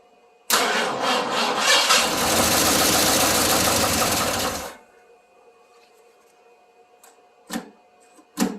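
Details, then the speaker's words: 1981 Ford F150, first start after sitting since 2007, old oil not yet changed: fires and runs about four seconds with a quick, light ticking from the top end, then shuts off; top-end tick, timing also suspected off. "got a pretty nasty top end tick but we'll change the oil after this almost sounds like timing's not that great either"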